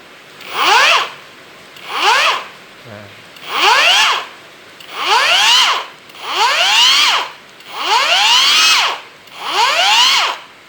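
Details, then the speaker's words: Hujia cordless brushless grinder, no load, after insulating peeled wires and fitting a new battery. Eight even spin-ups about every 1.4 s, each rising smoothly and coasting down with no rasp or scrape; lighter sounding than before and the motor no longer overheats. "Lihat, ini berbeda, suaranya berbeda. Dan bunyinya jauh lebih ringan daripada saat pertama kali"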